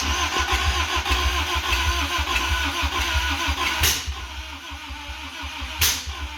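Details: 1985 Toyota MR2, 4A-GE 16v, sat for a long time, started via a jumper wire after adding oil: fast, uneven starter cranking with a couple of sharp pops, never runs. Earlier bang and smoke; owner suspects ignition timing is out.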